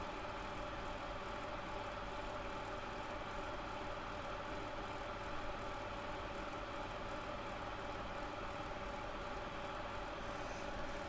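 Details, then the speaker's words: Soldering hot-air gun, suspected fake Hakko, about a year old and little used: steady, rough fan whir with several fixed tones and a gritty edge. Worn fan bearing. "And um you can hear the bearings have already gone the fan."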